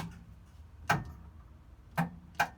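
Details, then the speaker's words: Second-hand 711M race car engine fitted with new coil, petrol and battery; three sharp clicks about a second apart with no cranking; owner suspects a sticky starter solenoid, and the starter feed wire needs replacing. "You guys can hear it does give a small little bit of a slip, and then it just goes back to the clicking sound again. So I'm assuming that that is our solenoid that is sticky."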